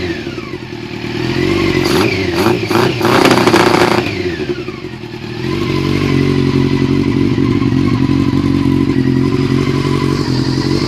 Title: yamaha r6 misfire